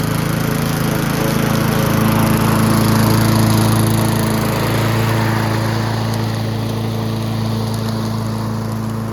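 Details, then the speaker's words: Yard Machines (MTD) 22" High Wheeler push mower, 4HP Quattro Briggs & Stratton, after all found issues corrected, test cutting passes: strong, even engine note holding speed while cutting, easing slightly at end; pulling well, healthy. "we've corrected all the issues that we found and I think the last thing is just to do a couple passes with it and see how it does"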